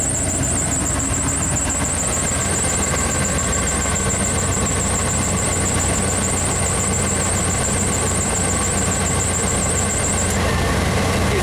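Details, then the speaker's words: 1995 Pace Arrow Coronado motorhome on a Chevy truck chassis, with rodent damage and new batteries. Rough, loud idle with a steady high whine that suddenly drops out as the engine clicks and dies under a heavy current draw measured around 600 amps. "Clicked. And it died."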